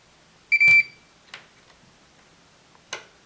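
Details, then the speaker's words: Samsung PN51D495 51-inch plasma TV with no power and relay clicking; multimeter in diode mode on a diode removed from a heat sink gives a steady high beep with leads both ways, then light clicks; diode shorted. "so that means that there's a a short we reverse the uh the leads yeah and inde there there's a short"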